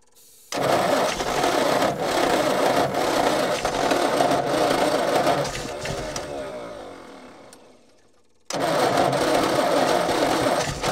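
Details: Old petrol Bedford tip truck (owner guesses early 60s–mid 70s), sat 10+ years, cranking with an extra earth on the starter braid. No quicker: sluggish even churning three to four turns a second, fading with no firing. Owner suspects a lazy, probably Lucas, starter or bad earths.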